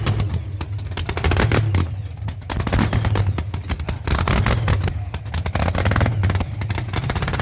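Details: Cold-day start of a boosted V8 hot rod with intercooler, after top-end work, new distributor and wires, and newly installed headers; a deep, lumpy burble that lopes unevenly as it revs up and settles, firing and staying running. Normal cold start and revving.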